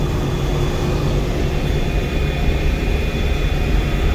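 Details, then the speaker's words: Combine (Fendt Ideal) run test after welding repair, rotors engaged and spinning: steady deep rumble with no knocks or rhythmic clatter; normal healthy running. "we're just doing a run test we actually have the rotors and everything going no knocking everything sounds good"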